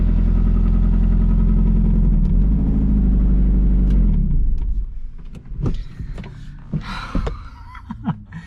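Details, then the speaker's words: 500 hp Miata after a 100–200 km/h record run: deep idle with steady knock about four per second, metallic grinding noted, oil on dipstick looks normal; possible rod knock, not confirmed. "I mean it sounds like it has rod knock which is fully a possibility"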